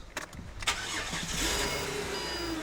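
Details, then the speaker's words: Ford Territory with Barra engine, cold start right after fitting new spark plugs (plus new shocks and control arms): short crank, catches at once and settles into a smooth, even idle with no misfire; sounds better than before, normal cold start and idle. "perfect I'm going to listen to that idle make sure it's sounding good automatically already sounds better from a cold start so very nice"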